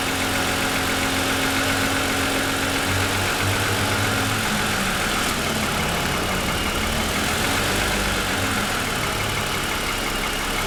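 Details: 2007 Lexus ES350, parked, hood raised, cold idle for ~10 minutes after start: light rapid slightly uneven knock clattering over idle; owner says piston slap, grown louder over 2.5 years of ownership.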